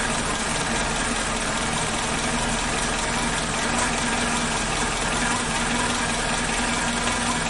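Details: Suzuki Katana (Jimny) engine after replacing the timing belt and NTN tensioner bearing and setting valve clearances cold (intake 0.15 mm, exhaust 0.20 mm); steady, even idle hum, no ticking or knocking: normal idle.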